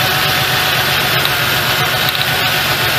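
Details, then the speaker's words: 1998 Ford Ranger 4.0L with a check engine light and a cylinder 4 misfire, idling while plug wires are pulled one at a time. The uneven idle stumbles every few beats; cylinder 4 is dead from a bad spark plug with no carbon tracking. A tune-up of plugs and wires is planned. "it's got a bad sparkplug that's something you hardly ever see on a vehicle especially cuz I didn't notice any carbon tracking or anything"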